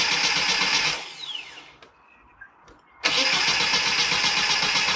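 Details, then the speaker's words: 1990 Mini ERA Turbo (262,000 miles) cranking on a newly fitted carb: starter whirs about four turns a second, pauses, cranks again without catching; engine flooded with fuel, no start. "so as you saw i was trying to crank it over get it started with the new carbon"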